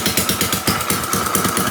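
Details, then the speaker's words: Rebuilt Yamaha Raptor 660 at first run with choke on, no coolant in it and a quiet core fitted: sharp, rapid, hissy chuffs about eight a second over the idle; exhaust leak. "I can hear an exhaust leak somewhere up here. I'm gonna have to address that, but it runs!"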